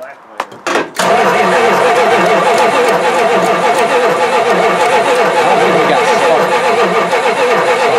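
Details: Mopar 360 V8, not run in three years, throttle was frozen, bad connection found: steady starter churn about three and a half turns a second with no catch or firing; cranking no-start, maybe not enough battery juice, suspected not confirmed.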